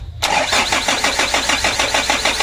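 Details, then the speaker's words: Freshly rebuilt 120 PS 4D34 diesel with oil and coolant filled and a new air filter: even starter chugging, about six to seven beats a second, no firing; cranked until fuel came out of the injector lines, which are then tightened. "Oh, untuk minyaknya sudah naik atau sudah keluar ya dari selang nozzle-nya."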